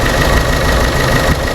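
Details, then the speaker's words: Chevrolet Sonic small turbo engine, P0300 and reduced-power warning: shaky, loping idle with stumbles; bent, internally damaged oxygen sensor needing replacement, but the mechanic doubts it causes the shaking. "esa es la razón de que el motor esté temblando de esta manera y que no responda como debe de ser"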